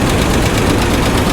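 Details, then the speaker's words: 1985 GMC Sierra 1500 V8, recently revived after sitting, under the hood at idle: fast light ticking on the passenger side over a rough, loping idle with a misfire on one cylinder; lifter tap, suspected passenger-side cylinder. "Sounds like a lifter tap. Yeah, that's a lifter tap, and it's coming from this side."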